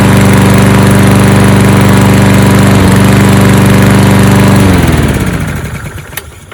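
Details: 2013 Toro Recycler 20370 mower with newly installed replacement carburetor, cold start. Strong, steady drone with even firing, then clean shutdown and coast to silence; normal running.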